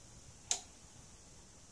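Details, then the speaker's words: Conrad Basetech BT-153 linear lab power supply under load around 7 V, 2.2 A current-limited: single sharp dry click over faint hum as relay switches the linear transformer tap, normal operation. "you can hear the relay click now it's 7 volts 2.21 2.2 amps and relay switched the top on the linear transformer"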